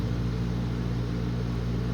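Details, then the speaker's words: ILG Industries panel mount 163 fan, 2-speed GE split phase sleeve bearing motor, starting on low (1140 rpm, 6-pole winding): spins up quickly with a steady low hum and the centrifugal switch kicking out; no bearing noise, healthy. "Starts up pretty quickly. You can hear the centrifugal switch kick out."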